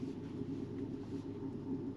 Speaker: What's that noise? Can you hear that? It sounds like a bearing. Doesn't sound good, does it?